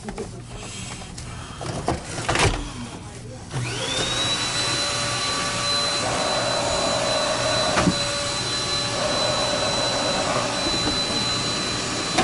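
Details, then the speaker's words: Dyson DC28, whose single AC motor drives suction and, through gearing, the brush roller. With the cleaner head flat on the ground the motor rises to a high whine that wavers under load; the motor is dying and near the end of its life. "So this brush roller works, but when it's flat on the ground, You hear that motor is dying. Right, like you heard that? both of these vacuums are pretty much on their last life."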